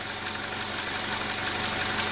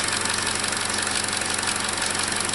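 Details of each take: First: 2017 Chevrolet Trax 1.4L (LUV) with code P0171 system lean: uneven, loping rough idle with a steady hiss audible and felt at the intake; vacuum leak, confirmed by vacuum gauge, part to be replaced. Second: 2017 Chevrolet Trax 1.4L (LUV) with code P0171 lean, just after replacing the faulty vacuum part, at startup and idle; steady, even idle with a constant airy hiss, no misses or knocks; normal idle, sounds better than before.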